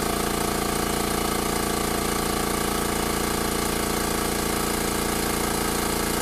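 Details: Makita MAC700 air compressor, new out of the box (2 hp, 2.6 gallon tank, oil-lubricated), filling from 0 psi to cutoff at about 130 psi in about 59 seconds; steady, even low thumping near 214 beats per minute over a constant hum; normal compressor running.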